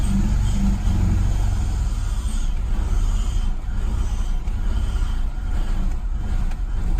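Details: BMW E46 with new intake fitted, rough idle: uneven, lumpy low rumble that wavers and dips, sometimes pops when revved, and later stalls; cause not yet found.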